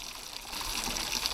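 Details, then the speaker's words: Renault Clio with a rebuilt engine after it skipped timing, coolant being vacuum-filled: the pipes squash under vacuum, then a steady hissing, gurgling rush draws coolant straight in with no knocks. It fills smoothly and avoids air pockets. "It just draws the coolant straight in, doesn't it, Dave? Literally like that. Look at that. Stops you getting like air pockets and traps, doesn't it, in the system?"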